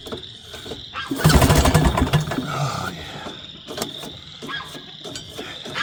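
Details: Northstar 10000 10 kW auction generator, running condition unknown, recoil pull-started without a charged battery: the pull whirs the engine over briefly but it never catches and fades out; cranks without firing, and the old gas smells stale.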